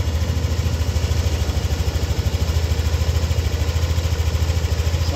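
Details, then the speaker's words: Warm Yamaha NMAX V2 scooter engine (four bars on the temperature gauge) idling with a steady, even low thump; heard from the side with no creak, rattle or whistle after the fix; normal healthy idle. "So mainit na yung makina nito at wala na kaming naririnig na ingay. So wala na yung kanyang langit-ngit. Ah normal na po yung normal na yung kanyang tunog."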